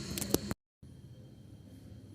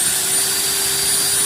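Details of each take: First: Maktec MT90 angle grinder starting with a loud, rough, heavy growl; late carbon brush replacement left the armature commutator worn and uneven, and a replacement armature has been bought. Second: Maktec MT90 angle grinder, formerly growling and heavy-sounding, after repair with carbon brushes refitted: even high-pitched whir over a steady hum with no rattle or grinding; normal running.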